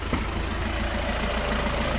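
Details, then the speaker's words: VW T5.1/T6 Transporter idling with a loud, steady high-pitched squeal from a worn idler pulley bearing; the fix is fitting a new INA idler pulley. "If your van is squealing like this, it's usually the idler wheel, which is, let's put it off, it's a bit noisy."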